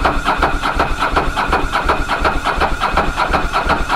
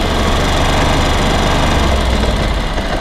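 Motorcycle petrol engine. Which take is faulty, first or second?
first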